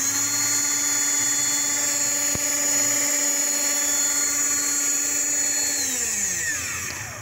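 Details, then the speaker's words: Ryobi battery-powered blower, fairly new: steady high electric motor whine that winds down smoothly; the motor runs but the orange impeller does not spin, so no air is blown. "The orange impeller does not work, but you hear the motor running."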